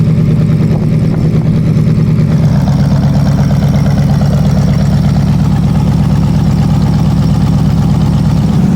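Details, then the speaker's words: Rebuilt Olds 350 V8 in a Cadillac Seville, first start after distributor replaced and wiring corrected: deep, steady rumble holding an even idle with no knocks or misses; normal running. "I corrected the wiring, filled in some oil, got gas and was ready for the first start of the engine. Man, was I thrilled and nervous at the same time. But now listen and enjoy the sound of my rebuilt Olds 350 V8."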